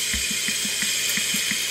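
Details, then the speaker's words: SAM 5226 portable drum machine, around 1959 and stored in a garage, hooked to a speaker and switched on: constant hiss over a soft thump about six times a second. Amplifier tubes checked and working; owner believes the hiss comes from the drum unit itself. "t has hook up first speaker it does turning on now hissing noise but I think it's coming from here"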